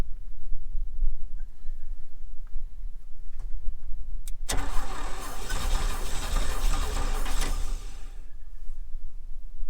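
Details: 1961 Chevy Bel Air 235 inline six, parked since 1981: steady churning crank for several seconds that never fires; points gapped too wide at 0.030 in, no usable spark; reset to 0.017 in and it fires.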